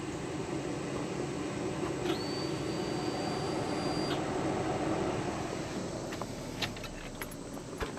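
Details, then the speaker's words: LS-swapped Jeep Cherokee, newly wired fuel pump relay, at key-on: relay click and a thin, steady whine for about two seconds that cuts off cleanly; fuel pump priming normally. "Not sure if you heard that, but fuel pump is in fact priming. You can even hear the relay when I turn the key."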